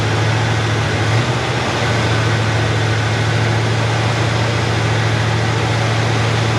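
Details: Chevrolet Nova Super Sport V8 idling after the distributor was replaced with a vacuum-advance unit; choke needs adjusting, good vacuum. Deep, even rumble at steady idle with no misses, stumbles or knocks: normal healthy idle.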